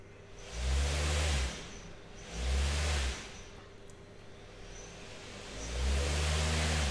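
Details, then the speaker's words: T-motor U15 on VESC 100/250, firmware 6.0 beta 49 with mxlemming observer, default 60 A current limit, propeller fitted: three smooth spin-ups and spin-downs, clean rising hum and whoosh, no roughness or cogging. Normal operation. "and that runs fine but the reason is that we also have the default current so we only go up to 60 amps now"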